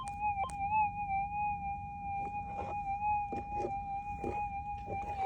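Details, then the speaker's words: Minelab GPX 6000 metal detector with GPZ 14 coil, sensitivity turned up over noisy ground: high threshold tone wavers, broken by repeated crackles and pops; unstable threshold from high sensitivity could mask faint targets. "So you can hear that. You can hear it just going all over the place. So that, you know, that fine little target that you're after, that little signal, you could easily miss it like that."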